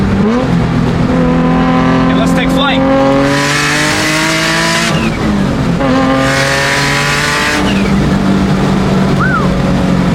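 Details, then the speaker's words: Turbocharged Nismo 350Z with new clutch, hard pulls through the gears: engine pitch rises steadily with road speed, no rev flare, no chatter; clutch holding without slip. "there's no chatter and you get the cool startup so it's like I don't know it's pretty sick I like it sounds so freaking good"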